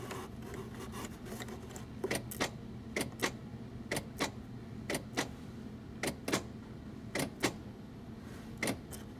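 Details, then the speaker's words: 1993 GM 3.1 no-start car with 1 amp parasitic drain, fuse touched on and off: sharp clicks in short bursts each time the circuit is made and broken; sounds like door lock actuators, not necessarily the fault. "okay so that clicking that you're hearing sounds like the door locks in the doors"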